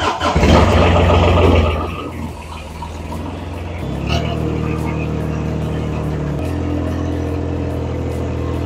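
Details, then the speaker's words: BMW E30 Touring, M50B25 engine, on ethanol fuel in very cold weather, oil suspected in combustion chamber: long steady starter churn of about two seconds before catching and settling to idle; long-cranking cold start. "ça c'est la joie de l'éthanol quand il fait très froid mais démarre toujours cette voiture"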